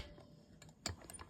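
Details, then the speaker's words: Hague Linker after replacing a damaged spike and adjusting timing toward the looper groove, turned slowly by hand without tension rods; few light clean clicks, no grinding or catching; timing sounds right. "But aiming for that mark on the looper, it is now kind of going past it and flicking, but not catching, not sticking, should I say. So I think that's possibly it. That sounds quite good."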